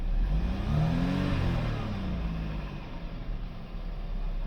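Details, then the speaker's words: Audi A5 1.8 TFSI convertible after oil separator replacement and boost pressure sensor wiring repair, first start with engine light on: steady low rumble holding an even idle, no misses, knocks or ticks; normal idle. "It's idling. All right. Is it holding its idle? That seems to be running all good."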